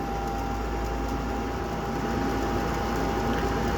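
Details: Gas furnace after replacing faulty control board: steady, even hum with smooth airy whir as the inducer kicks on normally before ignition; igniter then glowed and lit.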